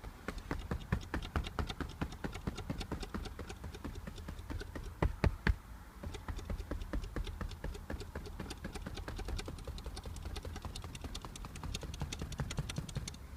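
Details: Audi A4 8K B8 passenger seat: quick dry clicks and taps over low road rumble while driving, a rattle from under the headrest.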